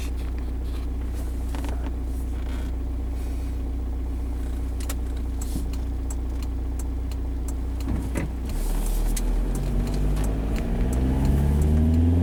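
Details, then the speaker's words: 2005 VW Jetta 1.9L TDI BEW, 09A (Jatco JF506E) automatic, cold, accelerating from a stop: engine drone climbs steadily with no drop though second and third commanded; not upshifting, likely from sticking shift solenoid, works normally once warm. "see the computer knows command the second gear you guys can see that but just racing like crazy it's even commanded third gear and it's not shifting at all"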